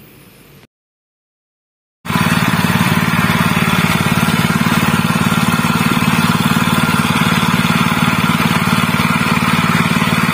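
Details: General CX 160 (5.5 HP) single-cylinder petrol stationary engine, previously fouling spark plugs black and dying quickly, after fitting a new spark plug: runs smooth and even at a steady fast beat, no misses or surging; normal again.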